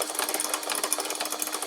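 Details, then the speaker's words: Multi saw blade shredder on 12 V, 3D-printed parts thrown in: irregular light clattering and ticking over the motor as pieces rattle on top of the blades instead of feeding, until eventually moved over. "as you can hear and say it's just rattling on the top of the blades there until eventually it gets moved over"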